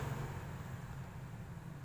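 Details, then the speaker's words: Maspion standing fan seized solid, shaft too jammed to turn by hand and dirty; motor gives a steady low electrical hum with no blade whoosh, stalled on the jammed shaft. "kemarin ada real request kalau kipas berdiri kipas apapun kita syafaat berdiri Blimbing Hai tidak bisa berputar cuma berbunyi mendengung maksudnya"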